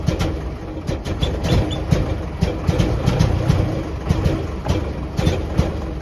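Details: 1949 Jeep CJ3A hard start and rough running after sitting since last fall, despite new coil, points, rotor, cap, clean plugs, fresh fuel and two-year-old carb. Stumbling low putter with irregular sharp pops and gaps; owner suspects points or a stuck valve.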